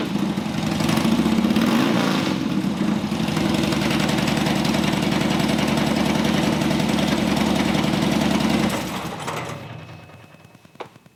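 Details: Harley-Davidson Dyna Street Bob V-twin with new Horsepower Inc (HPI) 2-into-1 exhaust and new air cleaner: deep, even loping thump about three or four beats a second, steady until switched off; normal V-twin idle.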